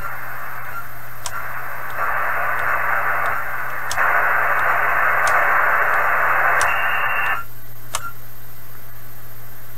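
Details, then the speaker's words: 1980s Kenwood TS-430S ham transceiver after Kenwood's relay-contact cleaning procedure, antenna reconnected, tuning through bands: steady hiss whose slow volume swings come from antenna signal level, not the radio; no crackles or dropouts; normal receiver noise. "so i i think the variations in volume there are from the signal level on the antenna now not the radio anymore"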